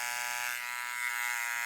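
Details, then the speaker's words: Tatvida rotary tattoo machine run above about 9.5–10 volts: harsh, steady high buzz, no speed dips, louder and more unpleasant than it should be though it still tattoos; loud buzzing. "Donc, c'est un mix entre une machine rotative et une machine à bobine. Après, ça tatoue quand même, mais le bruit, il est désagréable."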